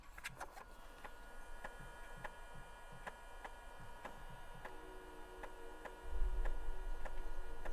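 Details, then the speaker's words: 1991 Dell 320N laptop floppy drive reading a disk: soft, fairly regular ticking about four per second as the head steps; drive reading normally. "This one's making some noise. There we go. That's the noise we like to hear. That's the noise I like to hear."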